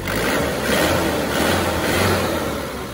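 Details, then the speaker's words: Warm Panther diesel at about 78 degrees after an oil leak repair, pistons not replaced. A smooth, even rev that swells and settles without knocks or misses, credited to good nozzles, fuel pump and compression. No smoke. "Karena nosel dan pompa bahan bakar masih dalam kondisi baik. Dengan dukungan kompresi yang baik dan mekanisme yang mumpuni, suara akhirnya menjadi halus dan stabil seperti ini."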